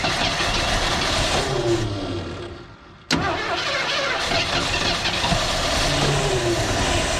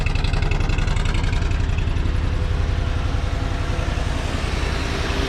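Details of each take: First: Old Ford engine, previously seized, first start after cylinders soaked three days in two-stroke gas and PB Blaster: catches and runs rough and lumpy with wavering speed and rattly top end; cause not confirmed. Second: 1983 Ford F-150 XLT 5.0 with overdrive, running about three minutes on choke at fast idle; steady, even low thrum with no knocks or misses, oil pressure holding and charging; normal fast idle.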